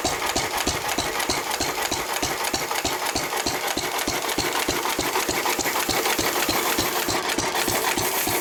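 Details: 1923 3.5 hp Emu (rebadged Hercules) stationary engine, restored early 1980s, first start in 20+ years, after oiling a sticking magneto/exhaust valve linkage: crisp even beats about three a second, no misses or knocks; normal hit-and-miss running.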